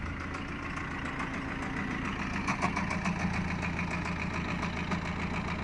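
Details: BMW 320d E46 diesel idling with a regular light knock, about two a second, and a faint rising squeak; owner reports weird knocking and squeaking before the engine cut out.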